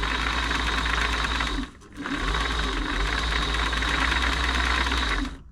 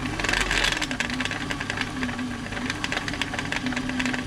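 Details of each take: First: Singer 507 sewing machine (made 1974–76) after feed dog gear replacement and oiling, covers still off: quick, even mechanical chatter at about four beats a second with no knocks or binding; runs smoothly and much quieter. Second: Singer 507 sewing machine with covers off, lying on its back, during a service for feed dogs not moving (feed dog gears replaced): fast, uneven, loud clatter and rattle over the motor hum. The mechanism is dry and needs oiling from the top.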